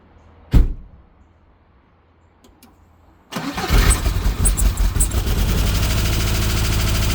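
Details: 1991 Subaru EJ22 first start after rebuild: cranks, catches, then uneven stumbling lumpy idle, misfiring; timing belt misaligned, most likely off by one tooth.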